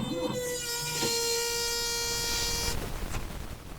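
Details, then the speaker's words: Ford 555C backhoe cranked with new charged battery and warm block: steady high whine with sharp overtones for nearly three seconds then drops away, starter seemingly spinning without turning engine; abnormal starter noise, cause unconfirmed. "huh well that's not good I know that battery's charged this block is nice and warm that ain't good"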